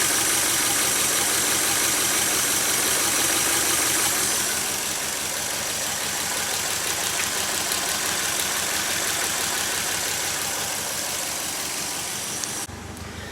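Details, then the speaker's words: Toyota AE86 that suddenly ran badly, cause unknown and no fault codes: the idle has an uneven, lumpy beat, about three pulses a second, with a slight stumble. The owner wonders whether sitting for a while affected pressure. Rough idle. "yeah I think you can hear it the idol yeah it's not that smooth"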